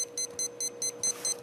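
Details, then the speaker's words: AirCore plane power core with HK R415 Spektrum-compatible receiver: rapid high-pitched beeping, about five a second, as the ESC refuses to arm with throttle stick down and trim centered; fix is trimming throttle negative until the beeps stop. "so what you have to do is they say in the directions move your throttle stick around well that doesn't work what you have to do is trim the Throttle Down negative like I'm going negative and finally the beeps will stop and now it works"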